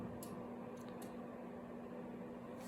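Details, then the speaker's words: Newly installed furnace in a house renovation, power switched on at the master cutoff after fixing a ground fault, gas not yet on: four soft, sharp clicks over a faint steady low hum as controls boot; normal relay clicks. "You can hear some clicks happening."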